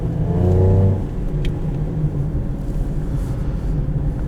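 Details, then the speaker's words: 2014 Lincoln MKX, 131,111 miles, driving test in manual/sport mode: engine revs with a deep raspy blat then drops to a rumbling cruise, the rasp likened to a Raptor; a small exhaust leak. "exhaust leaks are fun it makes me chuckle every [Music] time oh I love exhaust leaks that just makes it kind of you know what it sounds like a Raptor"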